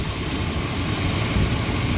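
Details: 1972 Monte Carlo with factory 402 big-block V8 (U code), recently revived after sitting long: deep, steady, even idle with no knocks or misses; normal idle.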